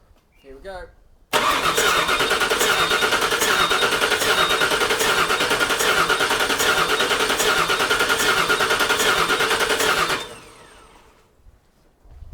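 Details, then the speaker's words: Crank, no start on a 5.4L V8 swapped into a 1979 Toyota Cressida: strong, even cranking about nine seconds without catching. Spark and coils good, runs on starter fluid; suspected insufficient fuel through the rails. "so as you saw we have good spark we have good coils the engine wants to run on starter fluid we just can't get enough fuel through the rails to actually make it run"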